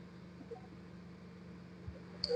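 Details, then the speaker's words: Maruti Suzuki 800 carburettor model with misfire, starting, low pickup and poor revving complaints: at the silencer, a quiet, even exhaust hum at idle; the earlier tak-tak tapping felt by hand is gone, no other sounds, normal idle. "സൈലൻസറിന്റെ ഭാഗത്ത് വന്നിട്ടുണ്ട് നേരത്തെ നമ്മൾ കൈ വെക്കുന്ന സമയത്ത് ടക്ക് ടക്ക് ടക്ക് ടക്ക് ടക്ക് എന്നുള്ള അടിയാണ് ഇപ്പോൾ നമുക്ക് നോക്കുന്ന സമയത്ത് വേറെ സൗണ്ടോ കാര്യങ്ങളോ ഒന്നും"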